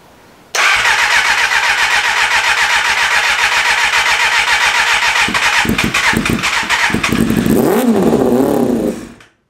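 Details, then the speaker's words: 1988 Kawasaki ZXR250 project bike, first run; fires and runs about eight seconds with an uneven stuttering beat, then dies; thirsty for a 250, owner thinks the carburettors need cleaning. "I think I might have to clean the carburetor. I think you might have to."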